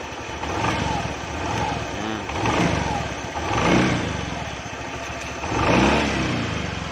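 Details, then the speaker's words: Honda Beat scooter after replacing mismatched CVT variator rollers: engine blips up and falls back in even swells, smooth with no rattle or knock from the drive; normal revving. "sekarang kita dengarkan lagi ya suaranya Udah halus nah"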